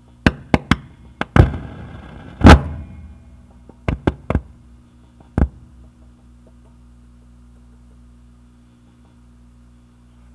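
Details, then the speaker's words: Tube amplifier with reverb on: sharp irregular knocks and thumps through the speaker over low hum, some with ringing reverb tail, from a microphonic reverb tube; first pop was vibrato switch capacitors needing replacement. "the reverb has this tube over here that has microphone X let me turn on the reverb"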